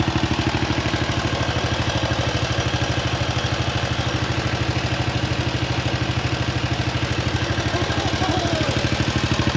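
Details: Wheel Horse RS-83 Ride Away Sr. single-cylinder engine first start after fitting new WICO HX magneto coil, points and condenser, choke held; crisp evenly spaced firing pulses, steady beat, no misses or rattles, running well.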